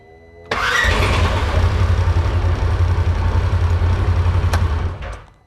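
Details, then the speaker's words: 2016 Polaris Ranger 900XP with intermittent crank-no-start, battery on charger at 14.4 V: brief crank, then it catches and runs with an uneven, lumpy beat for about four seconds before dying; rough running, cause unclear. "It is starting sometimes, but I'm sure you guys can probably hear how rough it is running once it does start."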